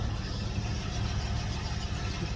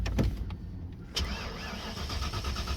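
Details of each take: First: 1992 Ford Mustang GT Foxbody (306) after roadside repair (timing not yet set): starts and settles into a steady low, even idle with no misses, knocks or ticks; runs smoothly. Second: 1992 Ford Mustang GT Foxbody (306) that stumbled, backfired and quit on the highway: starter cranks at a steady, even rhythm but it never fires; no spark, owner suspects TFI module or distributor ignition.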